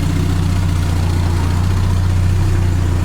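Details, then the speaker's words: 1979 Triumph Spitfire, running after reconnecting the fuel system: fires right up and settles into a quiet, smooth, even idle with a steady low hum and no knocks or misses. Normal idle. "but she fires right up real quiet"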